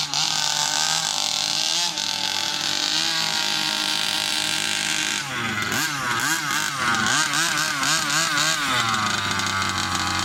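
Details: New Rovan 36cc double-ring two-stroke in a King Motor Baja 5B, warm, head gasket removed: high buzzy scream climbing hard through the revs in repeated bursts with no stumble; strong, healthy running.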